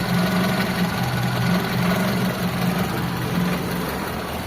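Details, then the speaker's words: Mitsubishi Lancer 4G13 carbureted engine after fixing hard starting with emptying fuel filter; filter now filling, idle raised slightly, steady even idle with no misses or knocks, normal idle. "Tunog ng makina amoy ng gasolina."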